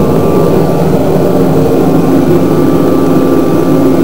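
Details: Kerosene shop heater started in a shop of about 46–50 °F; steady even roar from fan and burner with no surging, rattles or misfire pulses: running normally.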